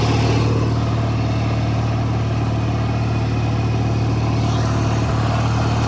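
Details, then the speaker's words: 1985 riding mower bought cheap, kill switch had been grounded and was rewired; small single idles with a low, slightly uneven chug, so the idle needs smoothing, owner may raise idle speed or add Seafoam. Rough idle. "so I think the next priority is just toh smooth out the idle a little bit so uh I might try uh making the idle a little bit higher or putting seafoam in it"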